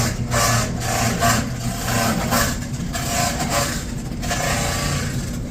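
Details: Samsung dryer tumbling with an uneven rubbing, scraping noise pulsing about once a second over a low drum rumble; cause unclear.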